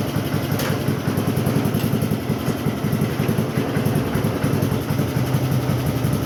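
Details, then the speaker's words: Cub Cadet single-cylinder tractor after a new chain, new air filter and oil change, idling with the air cleaner on: loping, uneven chug; idling rich and known to burn a lot of oil; rich idle with uneven chugging. "But idle little bit different with the air cleaner on. Uh it is idling rich, but it also burns a lot of oil,"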